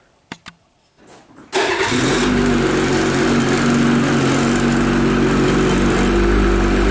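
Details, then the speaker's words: 2022 Ski-Doo MXZ XRS two-stroke snowmobile cold start at about 57 degrees: catches after a couple of pulls and settles into a crisp, even idle around 1300 rpm during warm-up; healthy. "Alright guys, I don't know if you can hear this, but we idle at about 1300 during warm-up."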